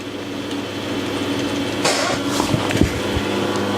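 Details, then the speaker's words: Old desktop computer at first power-on after being acquired: fans run flat out with a steady high-pitched whirr and hum and no speed change; bearings suspected bad. "wow bearings are bad or something"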